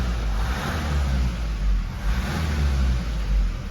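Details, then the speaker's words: 2016 Mazda 3 2.2 Skyactiv diesel, 166,000 km, with an injector circuit fault: a low drone with an uneven surge every couple of seconds, running really badly. More failed injector washers or injectors are suspected. "but for this one look running really bad I assumed I assumed that"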